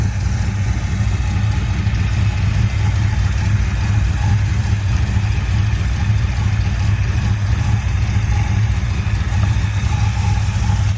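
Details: 1979 Ford Fairmont two-door police car running from its tank on five gallons of fresh fuel: a steady, even low rumble with no knocks or misses, idling smoothly.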